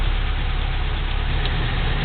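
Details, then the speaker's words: 1987 Toyota 4Runner SR5, 22RE four-cylinder, 5-speed, warm, replacement A/C idle-up VSV fitted: steady even low rumble, no knocks or misses, idling just under 800 rpm; pressing the VSV button raises idle to about 900; normal idle. "okay you're seeing it's at 800 little under 800 right so when I push the button it idles up to 900 or so"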